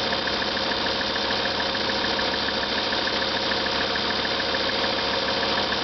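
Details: Lancia Thesis 2.4 JTD diesel, warm after about 30 minutes running and 25 km driven, at idle: steady high-pitched whine pulsing faintly, still present when warm; origin unknown.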